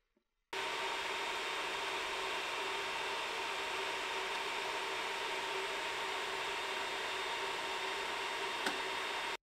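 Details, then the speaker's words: Ender 3 with upgraded SKR Mini E3 mainboard (stepper whine gone), stock fans: steady airy whoosh with a faint thin whine, no stepper noise. Most remaining noise comes from the stock hotend cooling fan, before its Noctua replacement. "I noticed most of the noise now came from the hot end cooling fan so I decided to replace the fans with some from Noctua"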